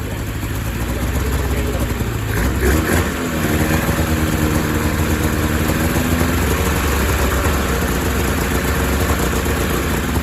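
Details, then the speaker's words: 2000 Ski-Doo MXZ-X 440 two-stroke race snowmobile, fuel system flushed, running without airbox: uneven, blubbery idle burbling about four times a second, never clearing; owner thinks it runs a little fat and loaded up, idle possibly low. "might be a little fat um she's a little loaded up in the low end if I let it idle she's a little choked up"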